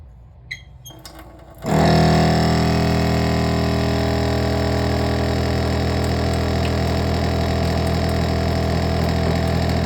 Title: Loud Noise When Turning On The Faucet